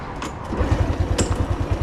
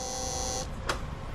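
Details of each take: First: Honda motorcycle after replacing a loud fuel pump motor with an aftermarket one; even, steady single-cylinder putter at about three beats a second with no pump whine or buzz, sounds healthy. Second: Honda scooter fuel pump motor running louder than normal: thin high electric whine ending in a click; bike runs fine, fix is replacing the pump motor; loud fuel pump whine.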